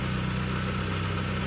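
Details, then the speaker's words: 2002 Saab 9-3 SE 2.0t LPT warm idle: steady low rhythm with a faint puffing tick at firing pace; slight exhaust leak from a failed flange, middle muffler and pipes to be replaced. "Has a slight exhaust leak, of course, you can hear, but that's going to be fixed. You need a new the middle muffler with the pipes because of one of the flanges are gone."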